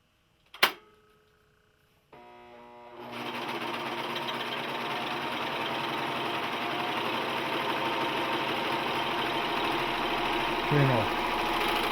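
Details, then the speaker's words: Singer 14J250 Stylist 4-thread serger, new out of the box and not yet lubricated, chaining off after sewing denim on a wobbly assembled table: a smooth, even high-speed whirr. The earlier clunking has stopped and it runs normally. "now have you noticed stopped clunking so maybe it maybe couple of feet are running"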